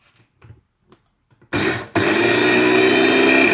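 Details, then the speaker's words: Tefal Optiblend 1000 W hand blender running in the chopper bowl: a few handling taps, then loud, steady high-pitched whir with no surging or grinding, louder because it is inside the bowl; normal running. "içinde olduğu için daha ses çıkartıyor bu tur kullanıyor buz gibi ama"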